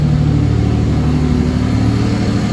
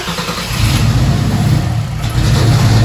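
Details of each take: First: Mercedes W203 with turbo M104 engine, new fuel pressure regulator, fitted with M271 injectors using added O-rings: deep even idle and small rev, no stumbles or misses; smooth normal idle. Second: Mercedes W203 turbo M104 engine with 440cc injectors during tuning: cranks, catches, runs lumpy with surging and sagging; rough running, owner unsure, possibly too low fuel pressure.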